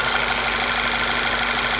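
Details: Volkswagen CC with P0300 misfires, after new ignition coils fitted: steady even idle with smooth hum, no stumbles or missed beats; normal smooth idle.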